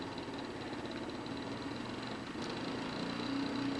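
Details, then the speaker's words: Salvaged junk-pile motor for a weld positioner build, wired temporarily and turning very slowly: steady hum with uneven churning rhythm; runs rough, owner thinks cleaning and re-greasing might improve it. "Now, if you listen to this thing, it's not doing real well, but I think maybe if I take it apart and kind of clean it up a little bit and re-grease it and mess with it a little bit, it might"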